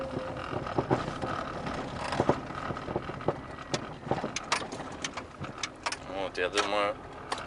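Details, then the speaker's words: Car driven over a bumpy street: sharp irregular knocks and hard clicks above road noise on each bump from the front suspension; owner has already replaced several parts, cause still unknown. "так следующая улица поедем жесткие щелчки Я надеюсь их выражено слышно"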